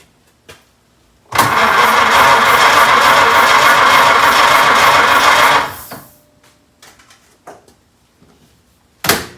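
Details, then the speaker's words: 1926 Oakland engine after rebuild, distributor installed, good oil pressure, not yet run after 75 years: strong, even cranking at about three and a half turns per second for four seconds with no firing; starter healthy. "the distributor's in and should be timed right and it cranks over because we put the battery in and the start is good"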